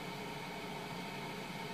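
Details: 2007 household refrigerator, after its defrost timer was replaced with a SUPCO solid-state timer: quiet steady hum with an even hiss and no knocks as the compressor runs normally in the cold cycle.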